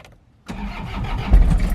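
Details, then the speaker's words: Diesel vehicle jump-started with a Schumacher portable power pack. Brief crank, then catches and builds into a steady low clatter, smoothing toward idle. Normal start. "yeah hear that little diesel purr"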